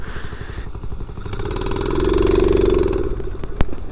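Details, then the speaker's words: New Chinese 50cc kickstart pit bike, first ride: single-cylinder revs with rapid putter, then falters and dies under throttle; stalls, rider suspects flooding or running out of gas, owner thinks carb may need cleaning. "Oh shoot! I think I flooded it or something. That's not good."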